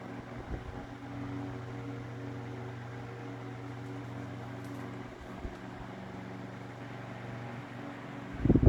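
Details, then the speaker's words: GE Standard strap fan 12-inch oscillating desk fan F14S125, mid-late 1950s, on low with fast oscillation; steady smooth low motor hum, no rattle, scrape or wobble; normal running on low with oscillation. "I do like the fast oscillation arc speed that these have. Very swift, sweeping there."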